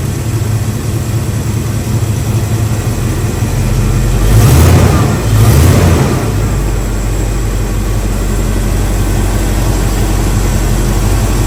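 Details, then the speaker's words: Rebuilt Chevy 350 small-block V8 in a truck, timing adjusted, electric choke not yet hooked up: a smooth, even idle with two quick throttle blips that return cleanly. Healthy engine. "I'm gonna go ahead and fire it up and let you listen to it run for a second, and I'll throw this hood on."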